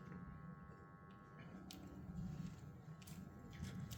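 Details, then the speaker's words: BMW E46 330Ci abandoned and sitting since about 2019, new fuel pump and fresh oil, 5-year-old fuel, fuel fuse pulled: steady even starter churn with low rhythmic pulse, no firing, cranking on purpose to build oil pressure. "it's just gonna go wah, wah, wah, wah, wah, and nothing, and then we'll hopefully get oil pressure around and then give it some gas."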